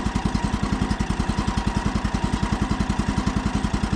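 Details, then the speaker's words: Brand-new Woodland Mills HM130 Max sawmill, 14 hp Kohler single-cylinder engine, first start near freezing, choke just taken off: quiet, even thump at about three and a half beats a second, no misses or rattles; healthy idle. "first thing i'm noticing you guys see how quiet that thing is"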